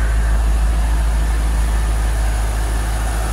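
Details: 2003 Corvette C5 V8 idling while warming up after a new water pump install. A deep, even, steady rumble with no squeal or ticking. After about 15 minutes there were no leaks and no squeaks, so normal idle.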